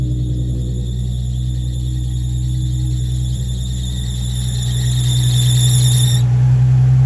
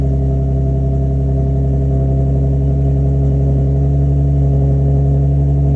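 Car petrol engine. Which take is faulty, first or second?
first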